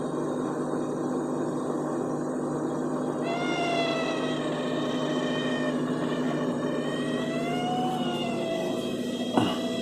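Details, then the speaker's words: Refrigerator that works perfectly occasionally makes a wavering, sliding high-pitched squeal over its steady low hum, like a cat meowing; nothing found behind it when lit, cause unclear. "Ó, isso aqui é uma geladeira, né? E de vez em quando a geladeira faz esse barulho, ó. Você jura que tem um gato aqui atrás?"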